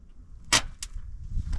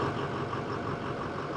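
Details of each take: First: Broken-down bus, neutral safety switch considered: scattered strained starter bursts with pauses while jumping the starter solenoid, then engine catches and runs; starter drags hard, believed failing and needing replacement. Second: Broken-down bus running after jumping the starter solenoid, which dragged hard and melted the screwdriver tip: steady, even low idle with no knocks or misses; engine running fine, starter still suspected bad.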